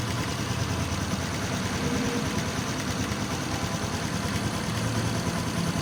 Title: Xrm 125 fi knocking sound left side of engine